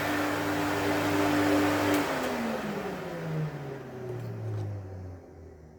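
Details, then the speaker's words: 1972 Electrolux Z310 cylinder vacuum cleaner switched off after its fans were cleaned and lubricated: the motor hum glides smoothly down in pitch and fades quietly with no rattle or grinding. Normal wind-down. "Right, we'll turn it off and you can hear the quiet wind down."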